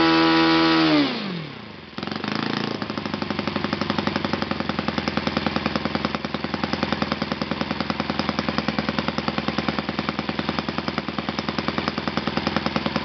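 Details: Yamada (Futaba) YS-F120 four-stroke 120-size model engine on test stand after total rebuild (combustion chamber buildup, piston and ring problems), Yamada No.4 glow plug: revs drop sharply then settle into steady even idle, regular beat, no stumbling; normal running.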